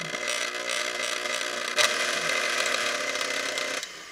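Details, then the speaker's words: Early-1990s KitchenAid K5SS stand mixer after the cut-in speed screws were adjusted: even, light whir at a slow steady low speed with no squeal, then it winds down; normal low-speed running. "just a nice slow speed to get the flour starting to be mixed in before poofing all over the place."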